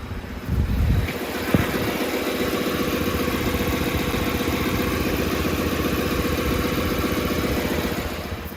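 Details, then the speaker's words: Lincoln Navigator, freshly rebuilt engine, warm, with aftermarket tune altering idle parameters; cylinder-head and intake-air temperatures read correct: idle far too high with busy, uneven chatter and shudder; rough high idle, cause unconfirmed. "so it sounds like there's some kind of phase or not going on and then of course the rpm way high you hear it i mean it's way too high"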